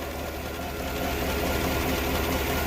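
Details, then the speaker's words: 2015 Chevrolet Tahoe V8 idling with a slightly uneven, lumpy beat and check engine light on; cylinder number two is dead, and the misfire is traced to a failed ignition coil by swapping coils. "Ito yung number two na hindi gumagana So walang reaktion kwatro ito gumagana din kwatro"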